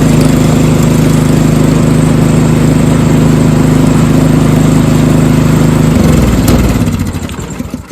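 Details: Snowblower small engine after carburetor replacement for surging, started on choke with fuel on: holds a steady, even beat with no hunting or surging, then is shut off and winds down; running smoothly.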